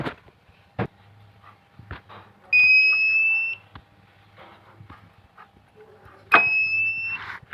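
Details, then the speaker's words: Microtek inverter: loud piercing one-second beeps repeating every few seconds as soon as battery is connected; shorted 22 pF capacitor on board, replaced to fix; continuous beep fault. "जैसे ही battery लगाने पर ठीक है पूरा यह जो we sound है वह बंद नहीं हो रहा और इसी को हम आज सॉल्व करेंगे"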